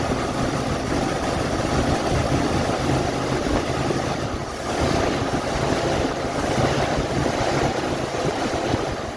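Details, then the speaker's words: 1978 Mercury Marquis Brougham 400 V8, long sitting, newly fitted fuel pump and filter, revved while strapped on a trailer: ragged, stumbling beat instead of an even drone; missing badly and running rough, some spitting. "missing pretty bad I did check the oil and water too by the way don't sound too bad it doesn't sound like it's missing back here but it seems like it's running rough up there now"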